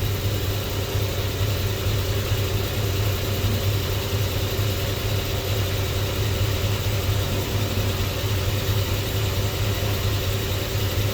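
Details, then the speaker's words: Squarebody Chevy C10 with LS swap, just running: low, lumpy idle around 500–550 rpm with an irregular stumble; misfire code flagged, possibly cylinder number four, and idle rpm is to be raised before chasing misfires. "yeah look at that RPM it's like five no more than 550. yeah I think I could be I could stand to be a little higher I may I'm not going to get too crazy about them misfires until we get this RPM bumped up"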